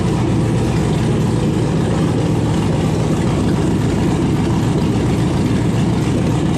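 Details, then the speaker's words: 1971 Impala donk with LS swap, first running after hours of wiring and low cranking-voltage troubles; steady, even low V8 rumble with oil pressure and no knocks or misses, idling smoothly. "so finally it runs it's got oil pressure"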